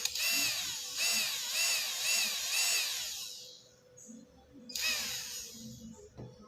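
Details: RC car electric motor on ESC channel 2, HotRC CT-600 6-channel remote, 2S 4000 mAh Li-ion battery: repeated short bursts of high whine rise and fall about twice a second, then stop cleanly; normal motor run.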